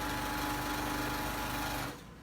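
Fast, even stitching buzz with a steady mid-pitched hum that stops cleanly after about two seconds; the machine is running sweetly.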